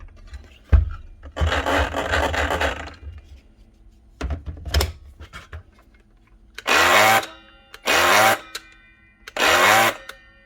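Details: Dewalt DCS572 Type 1 cordless plunge track saw that turns but doesn't want to run: short spin-up bursts with a dry scraping rub over the motor whine each time; rubbing noise, cause suspected, not confirmed.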